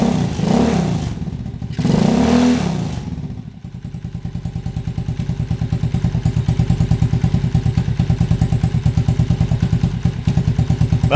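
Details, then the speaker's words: Small motorcycle at its first start-up check after replacing the ignition coil and reinstalling the spark plugs, idling with a steady even putter; no misfires heard. "it sounds good. I didn't hear any misfires."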